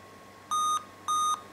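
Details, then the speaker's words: Dell laptop 8-beep POST error: evenly spaced high beeps about two a second, then hard drive and fan start; forums suggest graphics card/display failure; holding D at power-on runs diagnostics, HDMI cable sometimes temporarily helps. "I think the 8 beeps means according to most of the forums that it's a graphical graphic card eror"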